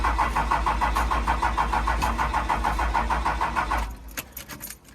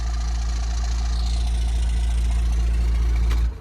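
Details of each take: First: 1997 Dodge Ram 2500 4x4 with a worn, high-mileage 5.9 12-valve Cummins, unstarted for a year: steady starter cranking at about three turns a second with no firing; won't start, out of diesel and lost its prime. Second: 1997 Dodge Ram 2500 4x4, 5.9 12-valve Cummins diesel, just restarted after sitting a year: even clatter at steady idle running on its own, then a clean shutdown; normal healthy idle.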